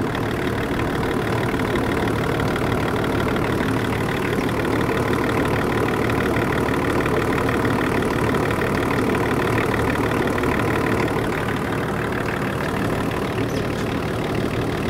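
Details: 24-year-old Range Rover P38 diesel, abandoned five years, jump-started and idling to warm up to thermostat temperature while bleeding air from the coolant system: smooth, steady diesel clatter at even idle, no misses, knocks or speed hunting; healthy.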